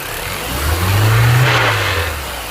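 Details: 2005 Mini Cooper S, quick blip then brief metallic rattle as revs fall after 3500–4000 rpm, linked to clunk at hot or cold startup; timing chain tensioner change didn't help; cause was loose flex plate bolts.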